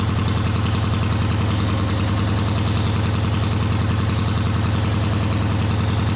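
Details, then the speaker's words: A 1979 Honda CX500 twin cafe-racer project has a lumpy, loping idle of about 158 beats per minute, with one cylinder not pulling its share. The right exhaust is colder than the left; the cause is unconfirmed. "So the right exhaust is colder than the left. We'll have to investigate that, but it is running."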